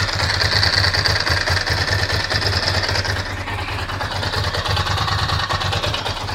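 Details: Ducati Monster V-twin: lumpy idle with a loose, irregular clatter riding on the firing beat; mechanical engine noise, cause not pinned down.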